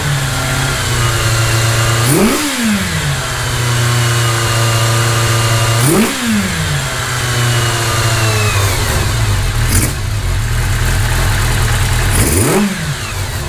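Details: 1982 Kawasaki GPz550 four-cylinder after changing carburetor pilot jets to fix idle hanging at 4000 rpm: starts, quick throttle blips drop back each time to a settled, even idle; fast idle seems fixed.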